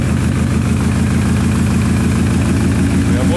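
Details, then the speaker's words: Rough petrol idle with heavy, lumpy beat about three times a second on first start of a car build: misfire traced to the coil harness not fully plugged in under the firewall; reconnected, expected to idle well. "after checking the coil harness we realized it wasn't plugged in all the way um in under the firewall which is probably more so my bad"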